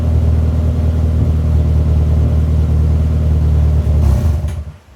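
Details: Mini after replacing disintegrated rubber vacuum elbows on MAP sensor and air bypass sensor that caused limp mode: deep even exhaust rumble revving cleanly and settling without hunting or stumble. Normal running.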